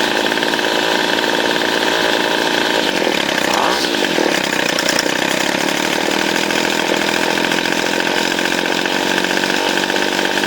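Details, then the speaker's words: 25cc Featherlite string trimmer after carburetor cleaning, new fuel lines and a low-idle complaint: loud, buzzy two-stroke run with a slightly uneven edge; the high and low mixture screws still need tuning, carburetor mixture out of adjustment. "It actually needs fine tuning with the high and low mixture screws, but I don't have the proper tool to do that."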